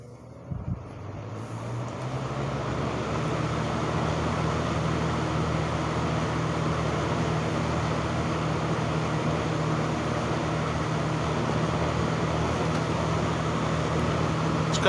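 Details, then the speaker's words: 1970s Lakewood 20-inch box fan with original skinny lamp cord, started on high speed, service and oiling history unknown: a low hum swells then settles into a smooth, even whir, modest airflow, no rattles; normal startup. "got a really cool startup sound to it airflow to it is okay it's nothing immensely powerful"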